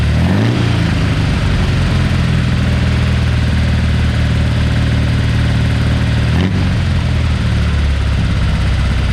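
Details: Porsche 912 flat-four just rebuilt with new-old-stock Solex carbs, mild cam and minor head work; oil pressure 60 psi cold, about 38 hot at idle: a quick blip, then a steady, even idle with no misses, knocks or ticks; running normally.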